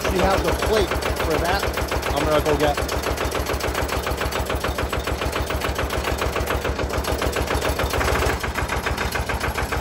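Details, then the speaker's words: Lister single-cylinder diesel in a Benford TS25 concrete buggy, first hand-crank start: deep, even thump about three beats a second, steady pace with big centrifugal weight audible; running healthy. "is a very distinguishable, unique sound. Like I said, it's the only single cylinder. You could hear it. There's a big centrifugal weight in there."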